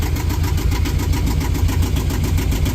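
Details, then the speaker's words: Yanmar marine diesel on a boat, first start: even knock at a steady tickover with no hunting, whereas it bounced all over when the boat was bought; charging at 14.5 V. "And then let's listen how it settles down. You see, see the bounce, you know, that really is I mean that's a tick over in a way."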